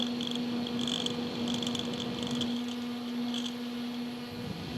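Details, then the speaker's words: Small mini-fridge cooling fan running on its side with a steady hum and irregular high chirping buzz; noisy when on its side, less so upright; replacement fans were quiet. "hopefully you guys can hear how noisy that guy is"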